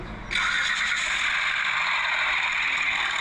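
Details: Engine started in the workshop, two noises heard: steady, bright metallic timing-chain chatter from worn-out chain tensioners, plus noise from a pulley.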